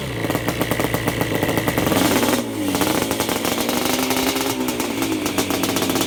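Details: 1987 Yamaha Banshee two-stroke twin, after carb clean (clogged pilot jet; left cylinder had been weak, only one pipe smoking) and carb sync: crisp, even ringing and clean revving, steady pulses with no misfire or sputter; running normally.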